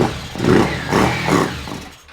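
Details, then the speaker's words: 1983 Yamaha XZ550RK Vision, neglected, on a jump pack with the tank removed for cleaning: a few ragged bursts as the engine catches and fades within two seconds, firing briefly but not staying running. "that's it that's awesome oh it wants to do it [Laughter] again that's awesome we did it more than once so now it's not a fluke it'll do it"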